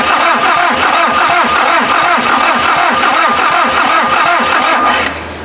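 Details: VW diesel (Mazda offroad build): steady strong cranking near three beats a second, never catches; injection pump drained of fuel months ago and being bled by cranking, returns now bleeding; starter getting very warm.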